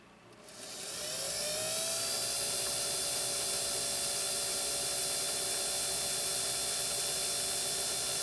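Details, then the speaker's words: Scottish-made vintage Singer sewing machine with the motor running without driving the main shaft: the motor spins up smoothly to an even hum and is healthy; the clankiness lies between the balance wheel and needle bar. "It's spinning up with just a thirst, isn't it? A sense of excitement."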